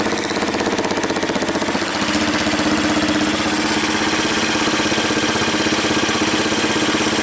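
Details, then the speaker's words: 1985 Yamaha BW 200 single-cylinder, sitting since 1997, first run after revival: quick, steady putter at an even idle, no backfire or chatter; owner suspects an earlier stuck valve; slight black smoke; normal idle. "hey not backfiring probably just had a little anymore of a stuck valve boy that sounds good"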